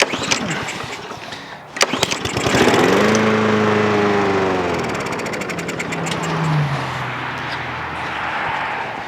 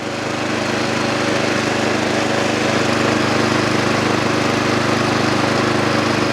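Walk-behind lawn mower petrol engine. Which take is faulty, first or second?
first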